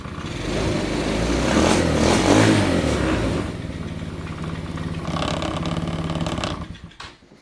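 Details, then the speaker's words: Abandoned go-kart engine, fresh fuel, after adjusting idle speed and mixture screws: catches, revs up, settles to an even steady beat before shutting off; runs properly now. "Runs good."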